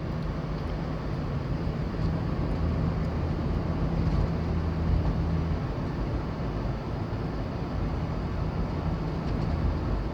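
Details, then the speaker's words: Van driving after all 4 shocks were changed and the loose rear shock bolt was fixed by packing wire between bolt and body: steady low road and engine rumble with no rear clunk or rattle. "I take care of the looseness on between the bolt and body as you see no more router noise anymore"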